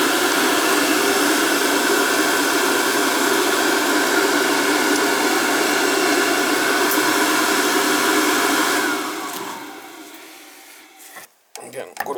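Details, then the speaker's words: Oil-fired NTI boiler with Riello burner that fires then shuts off, terminals 5 and 6 jumped so only the motor runs to check oil flow: smooth constant whir, steady pitch for nine seconds, then winds down; motor and pump fine. "this power's off and jump up five and six just to get it to run when it calls just the motor will run"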